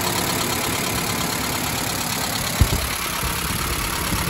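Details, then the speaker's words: 1991 Mazda B2200 after converting from an electric in-tank fuel pump to an OEM mechanical fuel pump, fuel pressure about 4: steady even warm idle purring, no misses, knocks or ticks, healthy. "your filter is full burring like a kitten"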